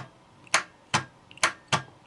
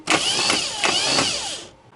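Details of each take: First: Starter test: solenoid engages with sharp dry clicks about three a second, but the motor never cranks and voltage barely drops, so the starter isn't seized. The cause may be the brush assembly or a broken winding. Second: Starter after cleaning its roughly eight-year-old brushes, bench-tested with positive connected: a strong, even high whir spins up instantly for under two seconds, then stops cleanly. Normal starter cranking; brush assembly to be replaced anyway.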